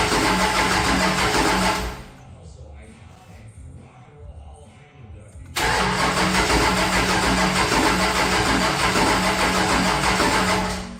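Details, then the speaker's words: Henry J engine with a bad new GM HEI ignition module and an untuned Sniper: steady starter cranking at about three beats a second, a pause, then more cranking that never catches, a crank no-start with no spark. "Okay, I'm going to go key it over a few more times and you're going to see no fire."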